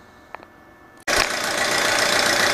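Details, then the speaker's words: 2007 Audi A4, cold engine, oil pressure under 25 psi, low/uneven compression: starts then idles with a loud, busy clatter over fast ticking that follows idle speed; engine knock, cause unconfirmed (oil probably thick). "All right, so I put the oil pressure gauge on it. It's got less than 25 pounds. You can hear the engine is quite noisy."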